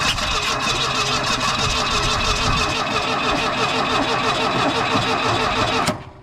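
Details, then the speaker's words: 1980 Mustang hatchback that sat from 1991 to 2022, cranked by jumping the starter solenoid with a screwdriver. Steady cranking with even compression pulses but no firing; good compression, no spark suspected. Crank, no start. "I don't think it's got any spark. Sounds like it's got good compression."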